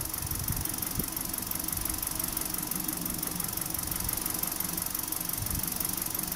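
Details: Known-good small petrol engine, tested with a pressure transducer and secondary ignition pickup before a misfire is introduced, idles evenly with a fine fast patter and no uneven beat or knock; running properly.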